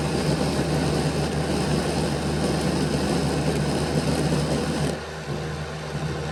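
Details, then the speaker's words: Bachmann Dash 9 model locomotive on stationary rollers, rear motor block: coarse, steady electric growl that drops off sharply as the motor stops; the cocked block is losing pickup-strip contact, fixed by reseating the motors. "The first video clip is going to show you the rear motor with it stopping, and you'll be able to hear the difference between the front and the rear."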